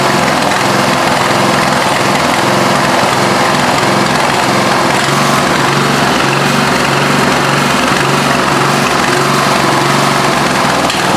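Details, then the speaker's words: Craftsman LT1000 lawn tractor, 17 HP OHV single-cylinder, running rough, missing and backfiring through carb; after adjusting loose valves to 4,000 then 3,000, slightly better but still uneven, stumbling with missed firings. "so the valves were loose I did take him to 4,000 and it seemed to help just a little so I took him to 3,000 that maybe seemed to help even a little more it's not quite as bad but still doing that"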